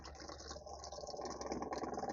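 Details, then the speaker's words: Onan MicroQuiet 4000 RV generator, fuel hose disconnected for testing before pump/filter replacement: fast, even buzzing hum with steady pulsing and trickle of fuel; pump delivers a very steady stream, working normally. "it's working okay so my fuel pump seem to be working it's pumping very steady stream"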